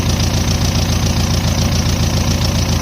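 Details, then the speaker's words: Dodge Ram 50 swapped with a 1.9 ALH TDI turbo diesel, idling after a fuel run-out: steady rhythmic clatter with no turbo whistle at all; boost gauge reads nothing, turbo suspected not spinning or boosting, cause not confirmed. "I don't hear the turbo in any way, shape, or form, which is kind of what I expected. I don't think that thing's getting any boost, which is what he said."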